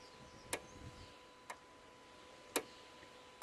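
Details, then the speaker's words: Jaguar XF (X250) with intermittent ABS and ESP warning lights: during diagnostic active tests, four sharp isolated clicks about a second apart as the solenoid valves inside the ABS pump switch on and off, responding normally. "every time i press any of these ones you can hear this sort of clicking so it's a solenoid inside the pump that goes on and off"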